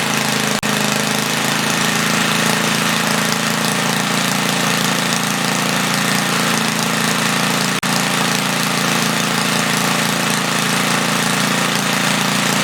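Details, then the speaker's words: 1976 Briggs & Stratton 3 hp on Tilly rototiller after main jet leaned and points cleaned, set to 3400 rpm, no load: steady fast even buzz with slight flutter off load; runs well. "i set the rpm at 3400 it's a little fluttery but uh it's also not under load it runs pretty good i'm happy with that"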